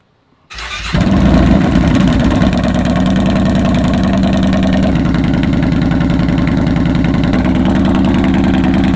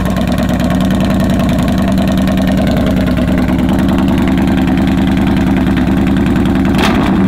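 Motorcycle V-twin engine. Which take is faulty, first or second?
second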